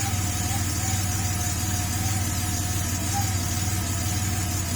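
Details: Porsche 930 Turbo, on its first morning cold start after fitting a RothSport oil inlet check valve that stops oil draining back and causing a smoke cloud: a steady, even idle with no misses or smoke. It sounds healthy.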